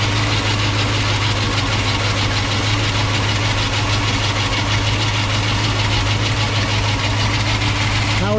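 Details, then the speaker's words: 1968 Ford Mustang V8, idling after start: steady idle with light uneven ticking chatter from the visibly wobbling alternator pulley, which needs replacing. "sounds good but like I said it is making a pulley noise and you can see the pulley moving right there that does need to be replaced"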